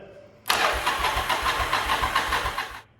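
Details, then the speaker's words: Yamaha Virago V-twin barn find that sat a long time, after a stuck starter switch freed: steady whirring crank with even pulses, engine turns over freely; normal starter cranking. "it's not liking that for some reason it's just dimming the lights see that oh the switch was stuck now we're good"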